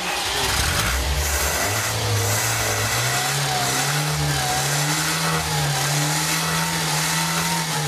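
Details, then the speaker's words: Car engine that sat unused for over two years, with a gummed carburetor, run at raised revs on carburetor cleaner fed straight into the carburetor instead of gasoline to clear it. The revs hunt and surge unevenly and the pitch wanders: rough running. "se vocês notarem tá o carburador está acelerado e nós vamos à a acelerar através do próprio produto"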